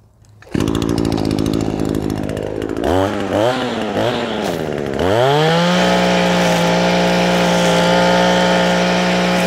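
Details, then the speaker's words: Echo SRM-225 two-stroke trimmer, after replacing the air filter and fuel filter and cleaning the spark arrester: clean blips, then a smooth steady full-throttle scream without the earlier bogging under load. "Có vẻ như làm ổn khi tải. Vì vậy, anh chàng nhỏ bé này dường như đang chạy tốt khi tải."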